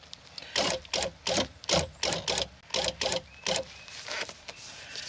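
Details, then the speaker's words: 1999-2007 Chevy Silverado GMT800 2500 HD rear door window regulator, incorrect part previously installed, being replaced: short buzzing motor runs with harsh rasping scrape as regulator sits below and interferes with internal door bracket. "It was down below the level of this internal door bracket. That's what that was, that noise you heard."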